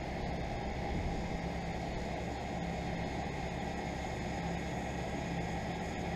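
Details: 2001 York 2.5-ton central air conditioner started late December when it was 80° upstairs: steady, even fan whoosh over a low compressor hum, no knocks or rattles; running normally after startup.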